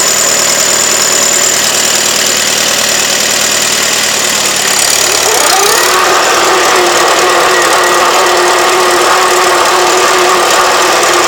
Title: Normal whine or bad bearing? ('48 Super A)